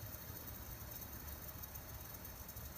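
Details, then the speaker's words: Steady even hiss with a low roar underneath from a Coleman camp stove burner after pumping at least 40 times; blue flame and hiss show good pump pressure, yellow flame means not pumped enough. "yellow means not pumped enough but if it turns to blue you know that the pressure that you built up with the pump it's good and your flame is blue listen for that little hissing sound"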